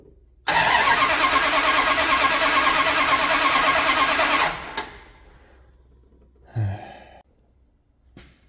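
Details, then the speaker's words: 1978 Dodge D200, 100,000-mile big block 400 V8 with 727 automatic, after reseal, new timing set and ignition parts: catches with loud ragged roar about four seconds then dies; distributor wires fitted clockwise instead of counterclockwise, only number 1 correct. "I had the firing order wrong on the distributor. I had number 1 right, but I put them in as if they were doing clockwise rotation on the distributor. It's supposed to be counterclockwise."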